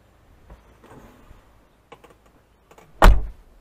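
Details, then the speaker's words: Infiniti FX35 rear liftgate after door-panel work for a false liftgate-open light; battery not yet unhooked to reset the computer. A single hard slam, then silence: the soft-close motor doesn't pull the hatch in tight. "when I close the door if you noticed you didn't hear the door motor pull it in tight"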